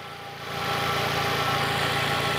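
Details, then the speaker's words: Fiat Palio at idle after fitting a new ignition coil, oscilloscope confirming spark on all four cylinders including previously dead cylinder 3: steady, even idle hum with no stumbles; normal idle. "Ya está listo el carro y no falla perfecto"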